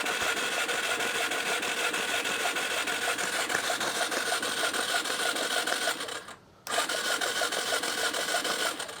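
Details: 2005 Yamaha TTR 230, found abandoned: fast, even starter chatter at about three strokes a second with no compression, spark plug out, cranking muddy water out of the flooded cylinder before flushing it.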